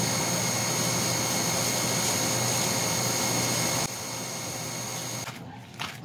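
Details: Automatic water booster pump that stopped starting, capacitor tested fine (7.6 µF of 8 µF 450 V); smooth steady motor hum with constant high whine, no grinding or stutter; pump runs normally once pressure drops, start seemingly pressure-related.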